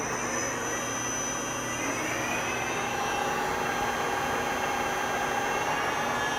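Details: Kiheung UMB 6 universal milling machine, variable-speed spindle raised from within the 800 maximum range: steady, even whine over a low hum, no knocking or grinding as speed rises; spindle running healthy.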